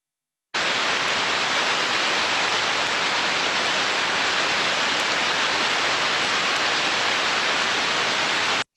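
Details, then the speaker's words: Idler bearing heard through a heterodyning ultrasound detector: smooth, uniform hiss with no clicks or crackle; healthy bearing. "fantastic i hear you say it sounds fantastic a very smooth and uniform"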